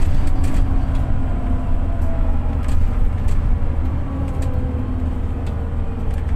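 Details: Arriva VDL DB300/Wright Gemini 2 bus with a Voith 4-speed on a hill climb. A steady low diesel drone with faint whirring, which reportedly appears at high revs; kickdown works but there is no power and it can't climb the hill. Power loss, apparently in limp mode.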